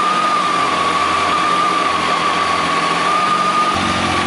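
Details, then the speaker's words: Kawasaki ZX12R cold, just started, idle raised by hand before throttle-body synchronisation: fast, even idle with a steady whine on top, no knocks or misses; running normally. "Hop, on démarre la moto. Je mets un peu plus de ralenti."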